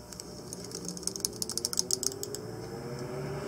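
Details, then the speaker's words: 1912 Westinghouse antique fan motor starting up: rapid light clicking from the mechanical starting switch engaging the starter winding at low rpm, stopping once up to speed; normal. "so if you listen as I start this motor you should hear that mechanical switch clicking as it turns on"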